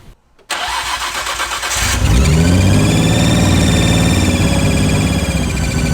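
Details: Nissan R34 GTR at first start after nearly a year: cranks, fires and settles to a fast, steady idle with a faint hiss. Suspected intake vacuum leak gives the high idle.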